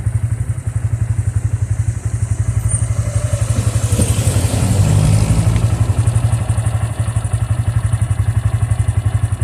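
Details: Bajaj engine after Bajaj opened it: steady low thumping idle with a dull clatter on every beat; strange engine noise, something inside not right.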